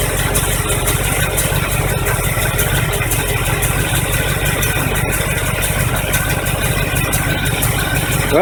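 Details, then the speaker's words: 1985 Chevy truck carbureted engine after fuel pump replacement, fuel refilled into filter and carburetor bowls, alternator bracket broken so belt loose; even steady low rumble with regular firing beat, no misses or knocks; normal idle. "it took a little bit to get the fuel up there and fill up the bowls in the carburetor but it's running again"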